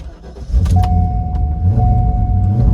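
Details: 1990s Corvette C5 with a manual LS1, unused for ages, after a third replacement PCM was fitted: the engine catches about half a second in and settles into a steady, deep V8 idle with no stumble. The first successful start, running fine.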